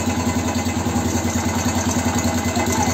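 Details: BM Motard 259 engine after a rebuild, idling evenly with a light, regular tapping on each firing pulse, about three a second; the knock's source is still unknown, and listeners are probing around the engine to locate it.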